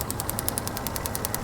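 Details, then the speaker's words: 2001 Toyota 4Runner misfire without check engine light, driver-side bank, engine running: crisp snapping ticks about ten a second over the engine; hole in spark plug wire arcing to ground. "you can see the hole and what it's doing is while the engine's running that is arcing up again"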